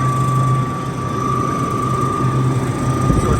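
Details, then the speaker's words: Rooftop CU 1A condenser unit for a dairy box: the fans run with a steady high whine over a low rumble; worn bearings in one of the two fan motors. "they call for a noisy fan which is coming from up there sounds like the bearings are"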